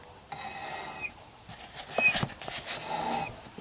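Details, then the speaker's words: Kawasaki Bayou 300 ATV front wheel spun by hand: a dry scraping rasp with each push and the wheel stops quickly; the front brakes come on when squeezed and don't release, so they are dragging, before they were loosened. "so it's next problem is it just doesn't roll and i think you might hear the front brakes are kind of one way if you squeeze this the brakes come on and they don't come off"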